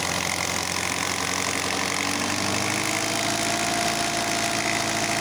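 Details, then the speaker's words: Alfa Romeo 156 Twin Spark with an idle fault (customer reported 3,000–4,000 RPM idle): steady busy drone that climbs in pitch as idle jumps from 1,200 to 2,000 RPM and stays there; later fixed by auto-adaptive learning with a diagnostic tool. "it started at 1,200 and then jump to 2,000 and it is at 2,000 right now"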